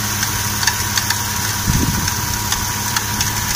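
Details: Toyota 1JZ-GE engine idling with a thin steady squeak and irregular sharp crackling from a worn drive belt tensioner pulley, which is being replaced.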